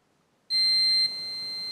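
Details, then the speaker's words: Manta SPK15GO Bluetooth speaker mainboard, multimeter in continuity mode near the charger-side first capacitor and coil: a clean, steady, unbroken high beep, the meter reading a full dead short. "praca siadła Pełne zwarcie"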